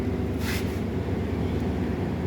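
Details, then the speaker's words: Suzuki Baleno after dropping the fuel tank to fix an unusual noise from inside it near the fuel pump or its wiring: even, steady low idle heard from the rear with no rattle, buzz or whine; the noise is gone. "Happy? O yan, wala nang ingay. Pambihira."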